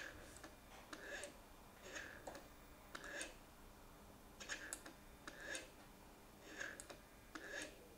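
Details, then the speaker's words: Mercedes SL600, ignition on, engine off, after repairing both throttle actuators and testing the E-gas module: quiet whirring buzz-and-click bursts as both throttle motors sweep in sync; working normally. "so as you can see now at this point put on the ignition again so you can see that both of them work again in sync"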